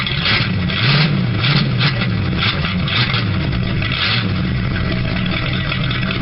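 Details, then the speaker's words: 1976 Ford LTD V8 with a rocker arm still clicking on the #8 intake, restarted after the spark plug wires were refitted: a light, irregular tapping about every half second over a rough idle. It now fires on all cylinders, but the valvetrain still ticks. "Okay, well you can hear it's still a tapping around back over in there."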